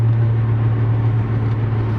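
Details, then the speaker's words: Car with stiff coilovers and a vibration at speed that was first blamed on the guibo joint, driven at steady cruise with throttle on and off: even road roar and low engine drone, no rhythmic thump or wobble; driveline sounds smooth. "all I can feel is just the engine vibrations the transmission vibrations I don't feel anything that's loading and unloading that drive shaft than making that making that unhappy"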